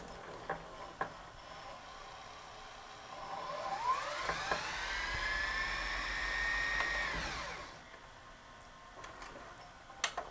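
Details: Sony SLV-N700 VHS VCR that came in with cracked mechanism gears; the reel motor spins up to a rising whir, holds a steady high pitch, then winds down during fast forward and rewind, and the transport sounds healthy.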